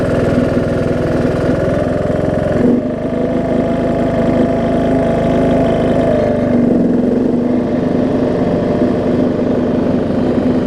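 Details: John Deere D110 mower engine test-running after a full rebuild with a new head gasket, done after a detached flywheel magnet was found: loud, even drone that shifts speed twice, no knocking or misfire. Possible valve-cover oil leak, maybe just burn-off. Normal running.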